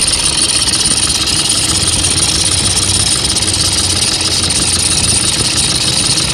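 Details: Toyota Vigo pickup after replacing the failed alternator overrunning clutch pulley with a genuine part: even idle with a steady bright hiss, no chirps or rattles from the front; sounds healthy.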